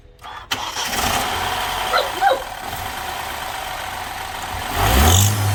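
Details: BMW F20 petrol engine starting and running with a rough, uneven rattle that swells as it revs and under acceleration. An exhaust manifold has worked loose from a snapped bolt and exhaust gases are escaping.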